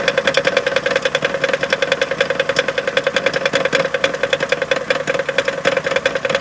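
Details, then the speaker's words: Chrysler Town & Country at idle, stopped (not heard while driving): quick regular ticking about three to four per second; flex plate suspected, then a crack found at its edge on inspection. "I'm leaning towards something maybe to do with the flex plate so I'm going to go Jack it up and check it"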